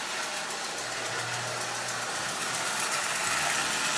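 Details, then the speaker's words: Marx prewar 999 tin toy locomotive, about 85 years old, after basic lubrication, running forward and reverse with even high-pitched motor buzz and light wheel clatter, no grinding; runs smoothly. "but as you see it runs perfectly forward and reverse"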